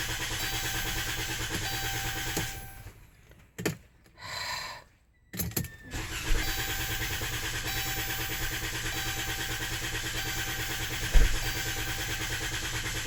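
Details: Chrysler Town & Country van hard to start after the dealer worked on something else: starter cranks briefly and stops, a few more short attempts, then the engine catches into an uneven idle; hard starting.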